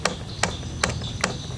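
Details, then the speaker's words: Soul GT automatic scooter clacking at the rear gearbox when throttled: engine off, shaft rocked by hand, four sharp dry clacks about 0.4 s apart; back pressure as the pulley turns, gear-ratio spacing too loose, worn gearbox bearing play. "Memang ada suara ha tak tak kayak gitu ya istilahnya ada tekanan balik ya ketika fbel ini mulai berputar ke depan"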